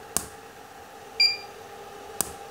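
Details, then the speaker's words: Repaired Profoto Compact Plus 600 (600 W) flash, formerly dead with no ready or reload: sharp pop, clean ready beep about a second later, another pop; quick recycle, flash working properly. "hai oh mantap ya temen-temen ya tembakan flash juga panas karena 600watt nih gitu"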